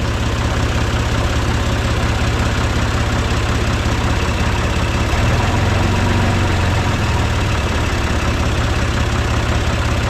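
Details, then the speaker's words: John Deere 2155 diesel tractor at steady idle after replacing a faulty starter solenoid (before: would not crank, just clicked; cleaning battery cables didn't help); steady low diesel clatter, even beat around three per second, no stumbles or grinding; fixed, running healthy. "All right, let's try it out. All right, I'd say it's fixed."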